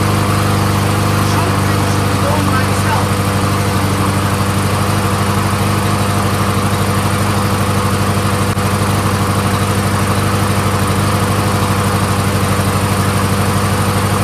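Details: Troy-Bilt 21-inch front self-propelled mower, Honda engine, after reattaching brake cable and links: catches and settles into steady, even single-cylinder beat about three firings a second, no misses, warming up; normal running.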